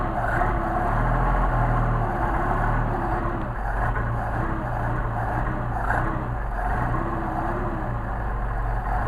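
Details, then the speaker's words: Solex carburetors on a test stand engine, cold, choke lever moving throttle linkage to set fast idle: catches and holds a brisk, slightly uneven fast idle with a deep steady drone, as expected on choke. "And notice when I'm activating the choke lever, I'm actually moving the throttle linkage to set the fast idle."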